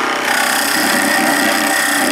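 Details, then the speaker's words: Skew chisel peeling cut on a wood lathe with pressure backed off instead of kept even: steady dry rasping hiss with no clean slicing, scraping off dust rather than peeling shavings. "You end up just scraping it off instead of peeling it off. You end up, instead of a nice shaving like those, you end up with dust like that."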